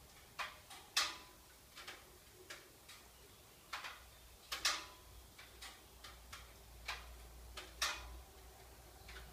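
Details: Subaru Levorg parked with engine off, sharp irregular clicks about two a second, starting about ten minutes or more after shutdown; recorded on an iPhone 5.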